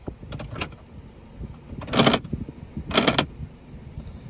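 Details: 6-day-old 2022 Toyota Tundra: after shifting into drive, short buzzing clatters from the driver's door repeat about once a second, as if the door lock actuator keeps cycling.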